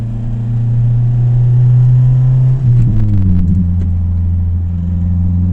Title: Toyota Celica Vvti Rattle Sound after 2000 rpm